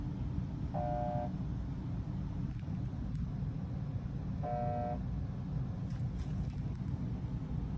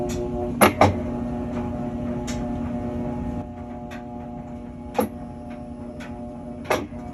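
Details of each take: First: Whirlpool washer: two panel beeps, a click as the lid locks, then a strained low hum as the motor struggles and never spins, a bad capacitor. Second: Whirlpool washer that hummed and would not spin due to a bad capacitor: steady low motor hum with a few soft drum clunks; washer running normally.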